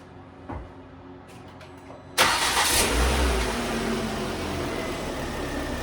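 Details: 2009 Volvo S40 T5 AWD R-Design, flooded-interior rebuild, after failed alternator idler pulley found: pause, quick crank, clean catch, then five-cylinder settles into smooth, steady idle; normal idle.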